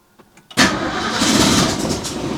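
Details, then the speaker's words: Classic small-block Ford engine after a new Cardone distributor install, distributor hand-tight before timing is set; a few slow cranking clicks then a loud burst as it tries to catch but won't settle; nearly fires, spark confirmed. "Ooh, she wants to start. Uh she needs a Yeah, she needs some love."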